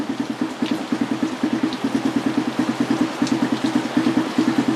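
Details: Satria/Raider FI 150 motorcycle started by remote after installing an MP One Way alarm, recorded in heavy rain: steady, evenly spaced exhaust pulses at a settled idle with no misses, knocks or hunting, running normally.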